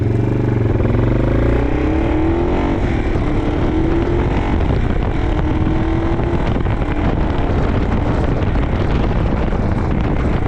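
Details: 1987 Yamaha TW200 trail bike on a test ride after a no-start repair: harsh, loud, raspy exhaust note under steady riding, from an exhaust leak at the header that needs fixing; otherwise runs great.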